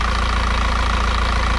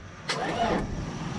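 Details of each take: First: Isuzu NPR cab-over 4-cylinder diesel truck revived after sitting for years, warming up: steady even idle with low regular clatter about 85 beats a minute, no misses or knocks; healthy. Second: Isuzu NPR cab-over, 4-cylinder diesel, sat about four years: brief sluggish crank of only a couple of revolutions that dies away; engine not locked up, but batteries too weak; slow cranking from weak battery.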